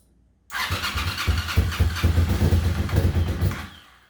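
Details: 1998 Suzuki TL1000R V-twin that sat 15 years after a 2006 crash, new battery, cleaned injectors, very old oil and no coolant, brief first start: catches at once, lumpy but steady twin beat for about three seconds before shutdown; runs.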